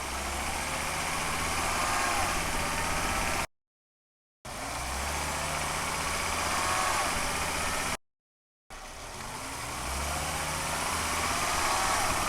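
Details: 2005 Volvo XC90 2.5T AWD, mics under car on transfer case and subframe facing the bevel gear, repeated accelerations from stop: thin rising whine near 2000 rpm as 2nd gear engages; gear whine suspected, not confirmed.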